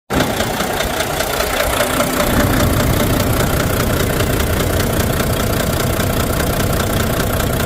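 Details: Volvo D13 diesel truck engine with misfire and low power: rough clattering idle with an uneven thump two or three times a second; injectors on cylinders 5 and 6 found badly worn.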